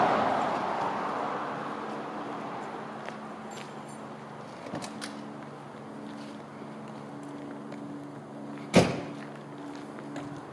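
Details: Low-mile, original one-owner 1993 Ford Mustang GT convertible, 5.0L (302) V8 with automatic overdrive: an even, steady low idle hum without misses or knocks, a door shutting partway through; runs smoothly.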